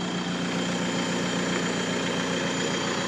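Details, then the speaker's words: BMW E90 320d diesel after fitting a new turbo, on a cold start before warm-up: steady idle with even low chatter and a faint high whistle, no knocks or hunting, sounding cleaner; normal idle. "Sounds a lot cleaner, doesn't it?"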